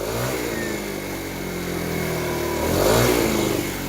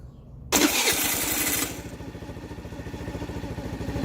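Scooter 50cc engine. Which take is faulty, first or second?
second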